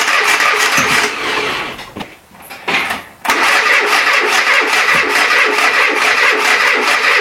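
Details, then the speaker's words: Renault Trafic, rebuilt junkyard C1J S 7000 engine unrun about 15 years, after a gear is refitted the right way round: the starter spins with a few uneven catches, drops out and cranks again; it tries to fire but never runs. Owner suspects flooding or valves. "comme ça là tu vois il entend il voudrait démarrer mais là je sais pas pourtant j'ai remis exactement pareil"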